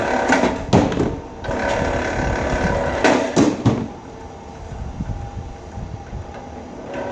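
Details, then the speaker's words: Vevor motorized wire stripper feeding small wire: small motor whirs with short mechanical bursts and a satisfying thud as wire passes; runs normally, though chatter would mean the setting is too tight and needs adjusting. "I love that satisfying thud small on through here"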